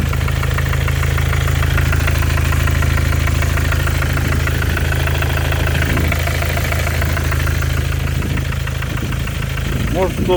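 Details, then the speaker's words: 2014 Mercedes OM651 biturbo diesel, 300,000 km, idling with a light, even hammer-like tapping about three a second from the top near the turbo. Same whether cold or hot, cause unknown. "Где-то вот она вот тут вот рядом как будто молоточком кто-то чуюхает."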